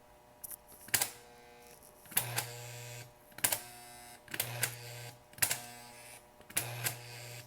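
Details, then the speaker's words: Rebuilt 720A remote-control switch (1949-1956) tested without lubrication between frog and roadbed: sharp solenoid clacks about every second with low hum; some returns softer and slower, struggling back to the right-hand rail. "Struggles a little bit coming back to the right hand rail, going off into the siding or spur."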